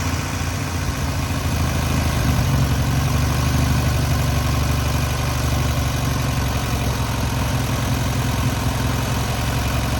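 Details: Newly rebuilt air-cooled VW 1600cc flat-four on its first start and break-in: steady low thrum with a brief rise in revs that settles back evenly; normal running.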